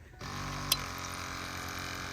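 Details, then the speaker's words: 7.3 Powerstroke diesel truck, 149,000 original miles, sat about 4-5 years; key cycled after draining the fuel filter bowl: steady electric buzz and hum of the lift pump running, so the fuel pump works, though fuel pressure is unconfirmed. "we got fuel pump doesn't necessarily mean we got excellent fuel pressure but we do have fuel pump"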